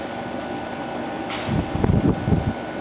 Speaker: So there you go. Yeah, it runs really nice.